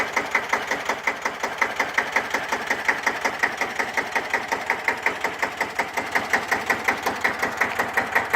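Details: 1954 Deutz F1L612 air-cooled single-cylinder diesel tractor, 11 PS, cold start after overhaul for TÜV inspection: steady crisp single-cylinder thump around 167 per minute, no stray knocks; healthy, smooth idle.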